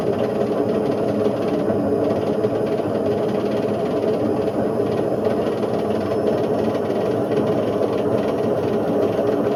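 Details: Indesit IWC71453 UKN 7 kg washing machine, found dumped, test spin after a split belt: loud continuous rumbling roar with rough thrashing underneath; drum bearings destroyed, shaft worn.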